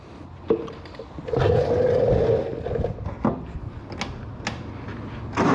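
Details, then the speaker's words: Miller Bobcat 225NT welder/generator with older Kohler engine, after fixing the auto idle (new idle module) and fitting a new fuel pump, filter and lines: engine catches, climbs to higher speed, then settles back down on its own; automatic idle up/down now works normally. "so hopefully you should be able to hear it well yeah you you should be able to hear the motor idle up and down"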